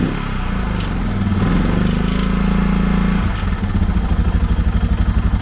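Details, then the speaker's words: Suzuki DR650 after carb clean and rebuild, valves readjusted, new battery: single idling with hard uneven rattle about four times a second; loose part vibration from a missing screw. "i checked everything over and then i realized that this screw right here is missing and i was getting a ton of vibration from this"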